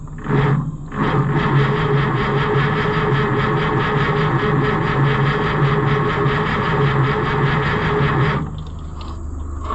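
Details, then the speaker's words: White 2-70 gas tractor, long unrun, with spark confirmed. About eight seconds of steady cranking without a single catch. The owner suspects the fuel is not gasoline and plans to remove the carburettor. "geez I just know that that stuff is not gas"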